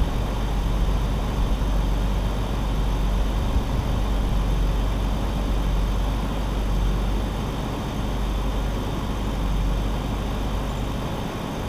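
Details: BMW E46 drift project car restarted after sitting three months; spark plugs reinstalled, oil poured into cylinders, so a tiny bit of blue smoke puffs from the exhaust dump. Low, steady, even idle with no misses, knocks or rattles: smooth, healthy idle.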